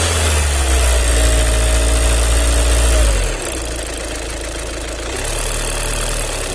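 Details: VW 2.0 TDI common-rail diesel: a fast, even clatter, then a drop in speed and pitch. Strange mechanical noise; the owner suspects the fuel pump, not confirmed.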